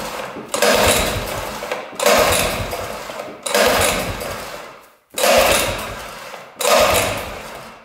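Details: 1960s Ski Daddler snowmobile, two-stroke: five short bursts of raspy firing in eight seconds, each dying away; runs only on gas poured into carburetor, no fuel seen pumped from tank; fuel starvation.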